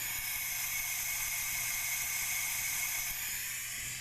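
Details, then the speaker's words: 2010 Duramax LMM diesel boost leak test, hot-side intercooler tube off, charge-air system pressurised to about 20-25 psi with air supply shut off: steady thin hiss fading as pressure drops, leaking at the EGR valve. "that beam here it but we've got a hiss coming from down below and we've already looked at this and determined this hiss is coming from the EGR valve"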